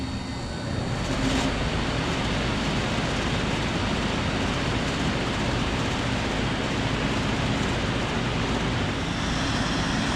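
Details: 1984 BDP (Bryant) 5-ton Model 541D three-phase outdoor heat pump in heat mode, possibly Copeland compressor at rear: brief start, then even steady low hum and fan rush, no knocks or rattles; quiet, running normally, no defrost cycle caught.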